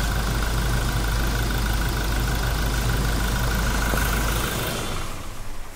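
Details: Toyota Innova Crysta diesel that cranked but would not start, after all four worn injector nozzles were replaced: a steady, even diesel idle with a smooth low rumble and no misfire or roughness, settling quietly toward the end. Normal idle after repair.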